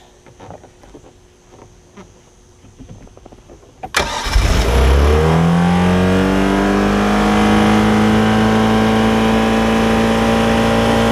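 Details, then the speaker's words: Mercury MerCruiser 3.0 sterndrive on muffs, sat nine years, new fuel pump and carburetor fitted: starts and settles to a steady but far too fast idle around 3500 rpm because a rusted throttle collar made the throttle stick. "sounds like it's running like 3 500 rpm so that's a little bit too high let me work on it a little bit more here guys oh yeah no runs good the um the throttle was getting stuck because there was a collar in here and that collar was rusting"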